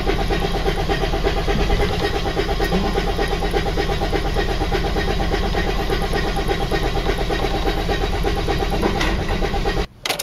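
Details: Freightliner turbo diesel: long, uneven cranking churn with a rough diesel clatter that never settles into a clean idle. Hard starting, cause unclear.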